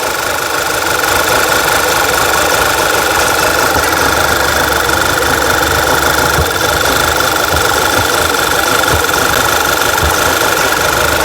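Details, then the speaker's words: 2011 VW Tiguan with P0300 history, after clearing codes and fuel trims: loud rough idle, irregular thumps and stumbles under steady hiss; running very lean, misfiring all 4 cylinders, traced to leaking crankcase breather valve. "So I cleared all the codes and it's reset the fuel trims, and now it's misfiring like crazy on all 4 cylinders. You can hear it running poorly."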